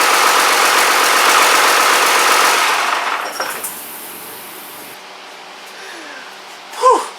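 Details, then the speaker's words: Rebuilt Cummins 12-valve diesel, first fire-up: loud, even clatter at a quick steady beat for about three seconds then settles; runs snappy and crisp, a leak heard somewhere, oil pressure pegs the 60 psi gauge at idle. "Hell yeah! She runs! Wow! She is snappy."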